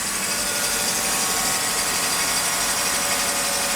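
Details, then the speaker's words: 1995 Mercedes E320, M104 engine, non-ASR, with shorting throttle-body and MAF wiring (MAF unpowered), cold after sitting a day: steady even idle with constant hissing whir from the secondary air pump, making it louder; runs smooth. "pump is on right now, so it's a little louder."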